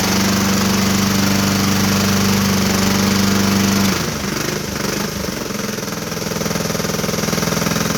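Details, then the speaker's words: Small engine, likely a mower, running with a steady loud knock of about three to four a second at the bottom end; owner thinks rod knock but expects another season or more if oil is watched; bottom-end knock. "that loud knock at the bottom is what i think uh is rod knock but i do believe that you make it through a season with uh with this or more"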